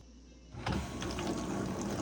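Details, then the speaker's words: GE dishwasher laid on its back, in drain mode; the drain pump was not turning until a light tap freed it. Now it runs with a steady whirring hum and water sloshing: normal drain pump operation. "There we go. That's the sound you're used to. Beautiful."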